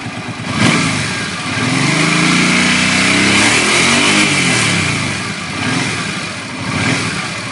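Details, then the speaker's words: Suzuki Boulevard C50 800cc V-twin after a cam chain rebuild; the slapping came from the rear cylinder top: smooth revs climbing and falling cleanly, no slapping or rattle, only slight possible valve noise; normal revving. "we don't have that noise there anymore maybe a little Val Happ they may have a few loose things give it a bit of a REV"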